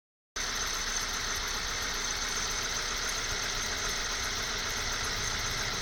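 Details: 1998 Honda CR-V at cold idle in cold weather, worse below -5°C and absent when warm: steady high, thin squeal from the front of the engine; owner suspects the condenser pump pulley, unconfirmed.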